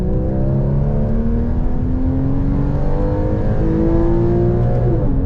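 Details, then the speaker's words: Porsche Boxster 981 with PDK, first drive after replacing the damaged oil pan with an RR Racing billet deep-sump pan instead of the quoted new engine: clean pull, pitch rising smoothly between shifts, no knock or rattle; engine didn't blow up, healthy run. "Wow. It didn't blow up."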